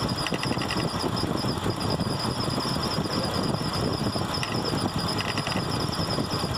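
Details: Mitsubishi Nativa engine running at idle: a light tapping knock from the accessory-belt auto-tensioner and a faint intermittent squeal ("pajarito") from a bent water pump once at normal operating temperature; fixed by replacing the auto-tensioner and water pump.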